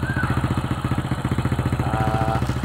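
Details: Old Honda Supra X (checking for a weakening spool/stator coil) at steady single-cylinder low idle after a one-kick start, on the used spark plug with idle lowered; evenly spaced firing, no misses; running before a charging-voltage test.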